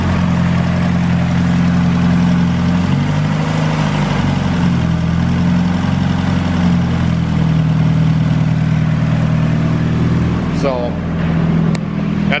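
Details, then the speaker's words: Turbo Honda Civic (447 hp at 17 psi boost), throttle stop set high to stop a sticking throttle body: idle stays high and drifts up and down in uneven waves; a boost leak and vacuum leak were found. "I can't get it to idle down and the idle on this thing is kind of all over the place"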